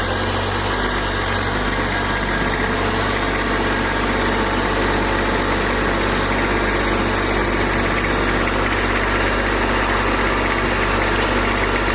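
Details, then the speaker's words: Kubota B2601 diesel tractor, first start in a month in cold weather, with block, oil and transmission heaters: steady diesel clatter at even idle, no hunting or misses; started quickly and warming up healthily. "But it did start quicker than I thought it would, so we're going to let her warm up here a little bit and then get back at it."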